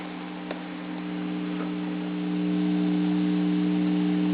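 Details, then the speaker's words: Karaoke computer system amplifier with no music playing: steady low hum with faint buzz rising as channel volumes are turned up; normal residual hum from a powerful amplifier. "Without any music playing, if you were to turn these volumes up, hear how you hear more buzzing?"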